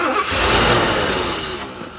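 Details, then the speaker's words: 1984 Mercedes 500 SEL pre-merger AMG, first start after sitting 27 years: starter spins engine steadily but it never fires; a fitting completely loose, residual fuel pressure but no fuel flow reaching the mechanical injectors. "see this right here this is completely loose we're not getting any actual fuel to the injector even though we had some residual fuel pressure there we're not really getting any fuel flow"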